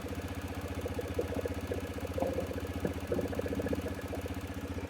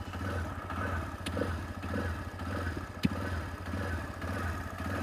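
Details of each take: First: TVS Raider BS6 single-cylinder bike, cold engine, after fixing missing and idle surging from 1000 to 2500 rpm; ISCV now working, rpm settles from about 2000 to a steady, even putter with no misses; normal stable idle. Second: TVS Raider BS6 motorcycle, power symbol lit in eco mode, jerking, hard self-start: uneven idle swinging about 1000–2500 rpm with the throttle untouched, a stumble every half second and a sharp pop; misfire from a bad wire at the 3-in-1 sensor.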